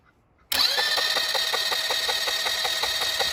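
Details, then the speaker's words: Neglected Chinese Bashan 200cc ATV running for the first time after a no-spark fix, exhaust pipe off: fires instantly into a harsh, crackling idle of about six sharp pops a second; loud only because the pipe is missing. "Om avgasrör sitter på plats så låter den inte sådär."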